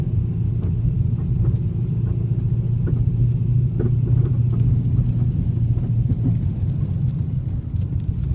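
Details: 2010 Camaro creeping at low speed: scattered dull clunks and light knocks through a heavy low rumble.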